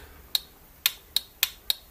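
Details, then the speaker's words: 12 V 30 A car relay added to switch headlights from the battery and protect the switch; six crisp irregular clicks as the switch closes; relay switching cleanly, working normally. "Donc on entend le relais qui claque quand l'interrupteur se ferme."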